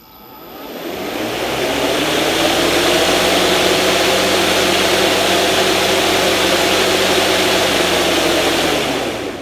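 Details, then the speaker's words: Greenworks 60V electric mower fitted with cross (X) blades, retightened to reduce vibration. Steady motor whir spins up and holds an even pitch with no wobble or throb; it felt much better: blades running smooth and balanced. "That felt much better. Okay guys, so we're gonna go ahead and mow our lawn with this."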